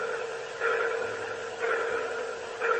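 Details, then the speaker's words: Boeing Starliner docked at the space station: three hollow sonar-like pings about one second apart over faint hiss, heard only from the cabin speaker with the mic held next to it; cause unknown. "all right Butch that one came through it was kind of like a pulsing noise almost like a sonor ping"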